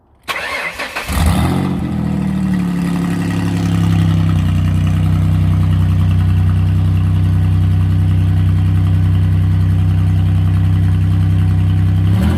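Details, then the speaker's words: Twin-turbo V6 Mustang just fitted with a DW 340lph fuel pump, not yet tuned for it: engine catches quickly and settles to a steady, even idle with no misses or hunting; idle fine, better than the other car ran with this pump. "i don't know man so far it's a lot better than your car"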